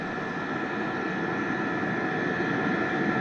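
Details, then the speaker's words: Diesel heater fed from AC battery charger with battery backup, warm at full temperature, running Full Tilt: steady even fan and burner hiss with no surging; voltage dipped slightly but holds about 13.7 V, healthy. "okay so now running at Full Tilt this went down a little but it will maintain"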